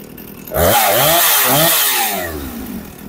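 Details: Husqvarna 455 Rancher chainsaw, sat unused for a couple of years and would not start, now running after repair: two-stroke snarl jumps up sharply, holds briefly, winds smoothly back to idle; responds cleanly and runs healthy.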